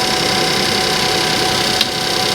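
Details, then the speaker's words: Suzuki Vitara salvage car idling on a ramp; smooth even idle with fine steady patter, no knocks or misses. Engine sounds fine. "but it sounds great it does sound great the engine sounds fine in my opinion"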